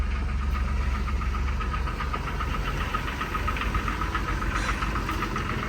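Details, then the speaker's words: Jeep Wrangler Sport (TJ) idling, check engine light on for the thermostat: a fast, uneven light rattle rides over the low rumble, fitting a broken timing chain tensioner. Cylinder one also showed low compression. "you can hear it you can hear it I know you guys can hear it I know you guys can hear the rattle"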